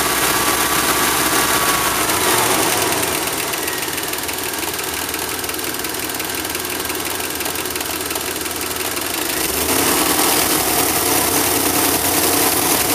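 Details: Engine viewed through the doghouse, smokes on morning start then clears; owner suspects fuel injectors: uneven lumpy beat with steady ticking layer, staying rough when revved, worse on the road; misfire-type rough running, cause unconfirmed.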